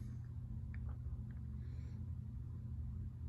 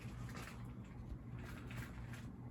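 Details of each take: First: Cheap ceiling fan running on medium speed: low steady motor hum, no ticks or rubbing, a mild running hum. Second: SMC ceiling fan running on high speed. A soft, steady low hum and gentle air whoosh, with none of the usual swirly bearing sound and no scraping; the bearings are very quiet and healthy.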